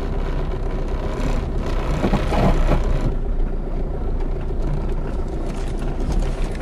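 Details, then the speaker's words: Diesel car that hit something high underneath: running with dull knock and shudder, engine and gear lever visibly moving; broken rear engine/gearbox mount. "معناتها فم سيبور او فم حاجه صارت في كرهبه ملوطه هي اللي خلتها تعمل الديفو هذاك وتعمل الحس هذاك والحركه هذ تعملها شفتوها هذ علامه ان فم سيبور منطه في حجه مكسره"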